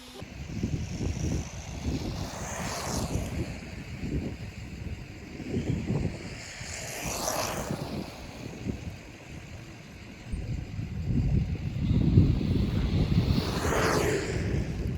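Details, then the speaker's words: Brushless RC car after new motor installed and pinion gear issue fixed: electric whine rises and falls cleanly as it passes and returns, no grinding or rattle; normal running. "Now that this car's fixed, it's working really well."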